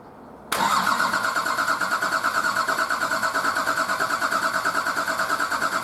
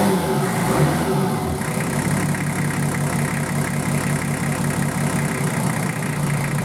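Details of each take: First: Nissan Patrol RD28 diesel, first start after injector and pump install, not run in over six months: cranked with all injectors cracked loose to bleed air from the lines, even cranking about three per second, uneven firing starting to catch. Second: Nissan Patrol RD28 diesel just started after injector and pump install, lines bled by cracking injectors while cranking: settles from a brief rev into a steady, even clattering idle with no misfire; normal diesel idle.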